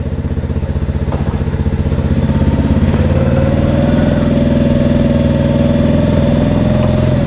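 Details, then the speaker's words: Mash Fifty 50 cc with a new replacement Lifan engine idling after its no-choke start while gears are checked: an even putter of about four pops a second, rising slightly and holding steady without misses. A normal idle. "That's first gear, second, third. Okay, that's all right, and it feels good."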